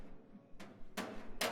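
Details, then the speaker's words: Three sharp hammer taps on sheet metal during dent repair on a 1941 Lincoln Continental panel; the last two ring bright, the metallic ping of an on-dolly hit. "that will be an ond dolly right there. You hear some pinging? That's an ond dolly hit."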